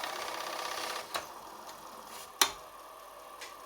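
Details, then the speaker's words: Commodore 4040 dual floppy disk drive, which initially would not boot, powering on after cleaning and refurbishment: a soft steady whir with a couple of sharp clicks, and the drive comes up normally and is recognized. "This is This sounds quite quite okay."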